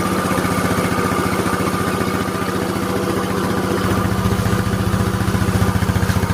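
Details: Yamaha Mio Soul single-cylinder scooter after engine rebuild for a rough, noisy engine: even, steady putter at idle with evenly spaced pulses and no knocks or ticks; normal idle.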